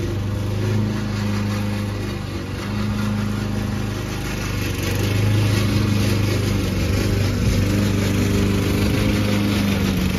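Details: Old Toro Recycler mower cutting Kentucky bluegrass, binaural recording: a steady engine under load with a loud droning rattle from the drive system. The racket was later cured with WD40.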